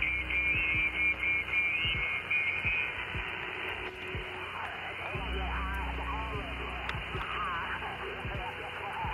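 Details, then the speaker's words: Xiegu DH100 portable power station with phone AC adapter plugged in, radio not physically connected: steady hiss with buzzy whine and quick ticks at three or four per second; RF interference, suspected from the AC adapter, not confirmed. "so without the radio having a physical connection to it still picking up the AC noise coming out"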